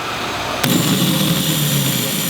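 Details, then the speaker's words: Starter motor on the bench, removed for slow cranking (suspected solenoid or motor), motor alone connected directly; sudden start into a steady high even whirr with low hum, no grinding, spinning freely, normal starter run. "good so it's good so it's good sounds good normally I would do this test 20 times if it if it passes 20 times it's going to work in the car"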